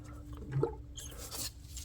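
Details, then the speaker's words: BMW 440i B58 after replacing a leaking water pump, coolant being refilled before the bleed procedure: squeezing the hose gives faint gurgles and squishes as trapped air bubbles out of the cooling system. "You can hear it bubbling a little bit, but every time you squeeze that, you hear the bubbles."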